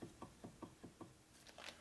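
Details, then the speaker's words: S&S 113ci Evo Harley motor, crank pushed end to end by hand through the case during a rebuild: sharp clunks about five times a second; end play present and within normal limits. "there you go, you got in play. You're supposed to have 1 to 3."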